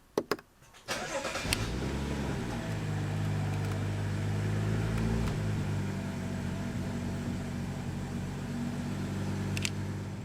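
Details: 2015 BMW M235i (N55 turbo), salvage auction car, start-up: cranks, catches after a second and settles into a steady even idle with no ticks or misses; healthy start.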